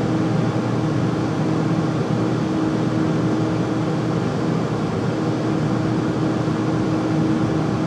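Steady loud roar with a faint constant hum and no knocking or rhythm changes; the furnace runs too loud, cause not evident.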